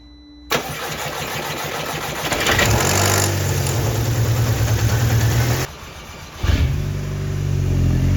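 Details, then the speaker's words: Mk2 Audi TT, BWA petrol engine, first start after replacing fuel injectors to cure misfire: cranks, catches quickly, blips, settles to even smooth idle with no stumble; normal idle, problem fixed. "of course it will and it's running perfectly I'm so glad the hours I've spent changing that fuel and yet that is actually made the difference and it's fixed the problem that I was having and the engine is ticking over nicely and it sounds fantastic"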